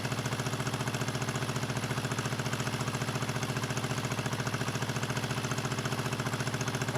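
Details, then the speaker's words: 1974 Honda CB350F four-cylinder, left to rot outside with rusty coil grounds, first run: lumpy loping idle, about 214 pulses a minute, running on only two cylinders. Later runs on three; a float or pilot jet problem is suspected. "they're running out two cylinders"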